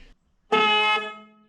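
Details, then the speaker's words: Excavator cooling-system warning horn, newly replaced: a single loud, steady two-tone blast of about half a second that fades out cleanly. Owner doubts it will be heard from the cab with ear protection. Normal horn. "Let's see how loud this horn is. This little guy. loud. With the machine running, me in the cab with ear protection in, how loud is that going to be?"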